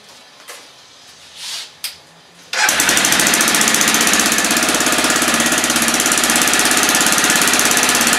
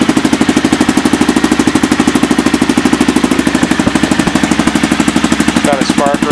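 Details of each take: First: 2000 Aprilia Pegaso single-cylinder motorcycle with stock dual exhaust, cold start on choke: fast idle with sharp, rapid chuffing tick from a small exhaust leak, before an exhaust modification. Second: Aprilia Pegaso single at idle in the shop, after fitting a DG Performance oval KLR650 (2008–2012) exhaust can with custom mid-pipe: even, deep, steady strong beat, loud and throaty; normal idle.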